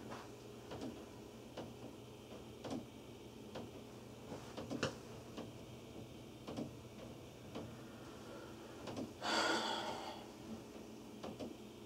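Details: Upstairs hall-bathroom toilet flush; sharp, hollow knocks roughly every second heard in the wall and ceilings of the family room, kitchen and laundry room below; owner calls it water hammer, also heard with no bathroom in use.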